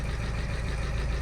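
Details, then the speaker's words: VW Scirocco TDI after timing belt failure, fitted with new cams, first start on jump pack and new battery, coolant leaking: rough, lumpy diesel idle with busy tappy valvetrain clatter; cause still to be found. "it don't sound good though that does not sound good to me I'm going to stop it there guys but it's running that sounds really really tappy to me"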